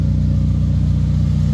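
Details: Black Honda EK Civic idling after the exhaust leaks were repaired (leak hole welded, crush gasket good, new hanger fitted): steady, deep, even rumble with no ticking or puffing. The exhaust sounds sealed and healthy.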